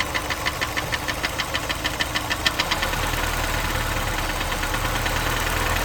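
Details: Honda S2000 engine at idle that a prospective buyer heard making a strange sound. Sharp regular knocking about three per second over a steady idle, fading into a smoother hum halfway; knock of unknown cause.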